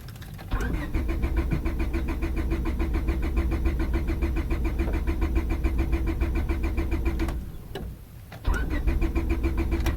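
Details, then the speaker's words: 2000 Honda Civic 1.6L that won't start on damp days after sitting, fuel smell present: starter cranks in long steady runs, about three and a half turns a second, but the engine never catches. Crank no start, cause unknown. "another wonderful rainy day out bastard doesn't want to start"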